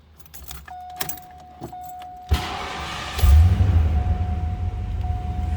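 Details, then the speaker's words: 1989 Ford Mustang LX 5.0 V8 convertible, automatic with overdrive, 41,279 miles: keys rattle, chime, brief crank, then it catches cleanly into a smooth, deep, even idle; normal cold start. "That was a cold start, so I wouldn't expect the temp gauge to be up."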